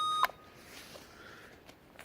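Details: Custom mower build, reverse beeper tested on switch panel: one short, clear electronic beep and then quiet; reverse warning beeper works normally.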